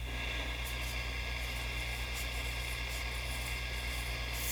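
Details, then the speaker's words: 1955 National Schools hand-wired radio receiver, a barn find, first test. Constant hiss and crackle over a faint low hum with no station breaking through: static, no reception. "I'm hearing static but no reception."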